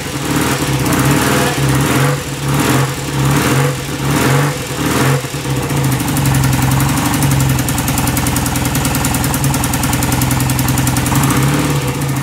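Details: 1967 BSA Spitfire twin, hard to start: heavy kick bursts catching, then a short uneven struggling run; electronic ignition timing found set too far advanced.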